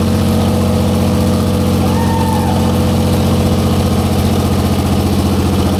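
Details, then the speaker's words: 1944 Cleveland 3-268A three-cylinder two-stroke diesel, revived, first run after fuel-delivery fix, no coolant: steady even low thrum, all cylinders firing in regular beat, no misses; healthy normal idle. "wo man I'm excited it's like it it was running on one and then two and three all picked up at one time"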